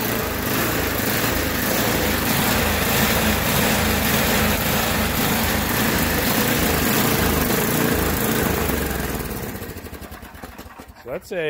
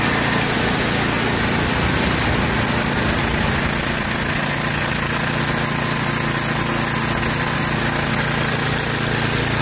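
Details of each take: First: Yard Machines by MTD 8 hp 26-inch snowblower with Tecumseh engine, fresh gas, surging hard at idle enough to rock the wheels; runs fine under load in snow; carburetor jet/adjustment screw suspected. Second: Tecumseh 8 hp engine on a Yard Machines by MTD 26-inch snowblower that surged at idle, after the carburetor jet screw was soaked in carb cleaner and wire-brushed: a small petrol engine now idles smoothly and evenly, no surging.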